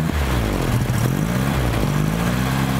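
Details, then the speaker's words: 1975 VW Shorty bus, neglected 20+ years: after fouled plugs were cleaned it fires and idles with a low, steady, even putter, no stumbling; only a slight puff of smoke, probably from sitting. "It's amazing what some clean spark will do, huh? Yeah, a lot. We just weren't getting any fire out of them spark plugs, apparently. Right. It sounds pretty good."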